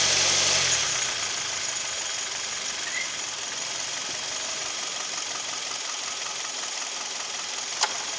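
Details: Kia/Hyundai Theta II G4KD petrol engine at idle, recorded from inside the cabin, owner reports piston knock and vibration at idle and knock at 1500 rpm: thin, hissy idle with fast, fairly regular light tapping about four a second; engine knock, cause unconfirmed.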